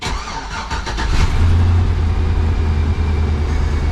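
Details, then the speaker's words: 2004 Suburban flex-fuel after in-tank fuel pump replacement for an intermittent fault: relay click and pump priming, then engine cranks briefly, catches cleanly and settles into a steady, even idle with no misses or knocks. "okay i heard the relay click and i heard the pump kick on"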